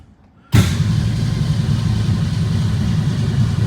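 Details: 1962 Ford Falcon, carburetor with manual choke, electric fuel pump, tank low: catches on fuel poured into the bowl and rumbles low a few seconds but won't keep running; pump not delivering fuel, fuel starvation hard start.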